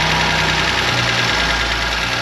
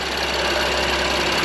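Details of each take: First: BMW M2 Competition track build, first cold start after transmission and parts install; loud uneven idle with a busy clattery top end and wavering beat, sketchy at first; rough idle. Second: BMW M2 Competition idling after its first start: a steady idle with only the light, fast tick of the high-pressure fuel pump. The earlier tick is gone and the engine is quieting down; sounds healthy.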